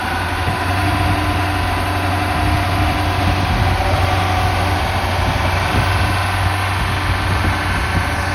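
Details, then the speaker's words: Ford Cortina off the road for 33 years, first start helped with easy start: even, steady idle with a smooth low hum and no knocks or misses; the engine sounds healthy, though some smoke appears from the back afterward. "Oh, it sounds like an auto pin mode. I'll tell you what, it sounds quite nice. Is it stuck open? Actually sounds really smooth."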